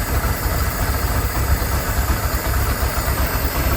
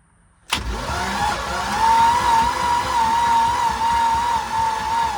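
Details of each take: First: Abandoned ski boat engine revived after years sitting, old carburetor only a small screw set, fresh oil: steady low rumble with soft slightly lumpy beat, smoking, no knocks or rattles; idles normally, manifold leak noticed. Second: Old ski boat, sat for years, cranked on its old spark plugs before they were replaced: the starter spins with a weak, wavering whine for several seconds and the engine never catches; owner thinks the battery is shot.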